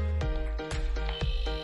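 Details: Used refrigerator compressor test with one port blocked by hand and power applied: steady low mains hum with faint regular pulsing suction; after unplugging, suction remains, so compressor judged still good.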